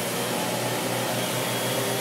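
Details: Maytag Neptune MAH5500BWW washer after replacing the motor and motor control board, in a drain and tumble cycle: a smooth, constant motor whir with no grinding, knocking or clicking. The drive motor turns the drum normally.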